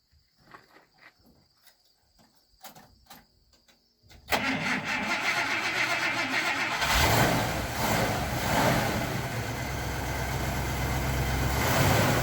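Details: 1954 Buick Century with rebuilt Nailhead V8, dusty but all original: clicking, a quick crank catches and settles into a steady, even idle by itself with no knocks or stumbles; healthy engine.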